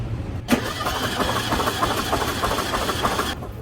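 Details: 1974 VW Super Beetle during compression test, spark plugs out and coil wire disconnected: starter spins the engine at an even rhythm, about three beats a second, no uneven strokes; all four cylinders read 130, consistent compression.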